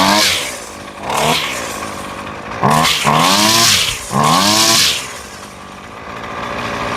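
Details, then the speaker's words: Husqvarna trimmer after carburetor replacement, idle and high-speed screws being adjusted by ear: crisp blips from idle to high revs climbing cleanly and dropping back to a steady idle; running normally. "That sounds really good. Let's adjust the idle just a touch more. And you're really doing this by ear."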